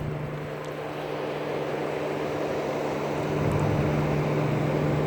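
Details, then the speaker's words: Mercedes non-4matic with 88,000 miles and a replaced cooling fan, fan actuated by scan tool at 50 percent duty cycle; it runs with an even, medium-speed whoosh and steady hum and no rattles. Normal electric cooling fan operation. "is on and it's about a medium speed hmm"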